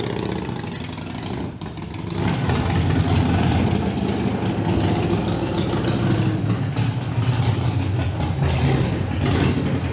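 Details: Harley-Davidson Iron 883 after a Sejati Booster setting, around the owner's test ride; owner says the popping off-throttle is gone: starter spins, fires at about two seconds, then a steady even V-twin idle with no popping.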